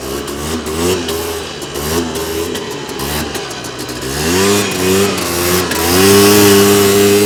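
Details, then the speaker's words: 2001 Polaris Xplorer 250 4x4 two-stroke quad in high range, straight gas with working oil injection, after earlier bogging: blips, pulls cleanly up the revs, holds strong steady howl under load, no bogging; healthy full power. "n she opening up way better she actually had full power there"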